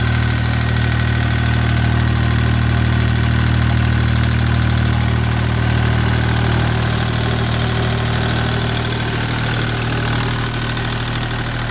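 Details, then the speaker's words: Deutz 2009L03 3-cylinder direct-injected diesel on a test stand, cold at about 52°F after start; even clatter at steady idle, firm low rumble, no misses or odd knocks. Normal cold idle. "So it seems to run pretty good."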